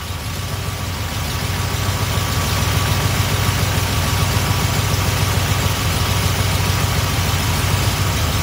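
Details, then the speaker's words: Small block Chevy V8 with Edelbrock carb, before adjusting idle mixture by ear: settles into a steady, even, smooth idle, deep rumble lifting slightly and holding. "Now, like I said, if you hear the engine, it's already idling smooth."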